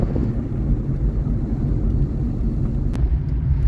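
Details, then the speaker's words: 1990 Ford Fiesta on road test at about 20–30 mph in first and second: steady, even low drone, no misfire or stumble; runs much better after prising open jammed air filter heat flap and filter end. "I prized the end of the air filer open as well and the cars running a lot better"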